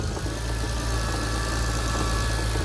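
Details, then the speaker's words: 2001 Lexus IS300 with manual transmission and a turbo 2JZ: steady idle with a dull, regular knock and grinding, suspected bottom end or VVTi; after engine removal a loose crank pulley is suspected. "i don't even think it'll come up on camera to be honest but it's knocking for sure"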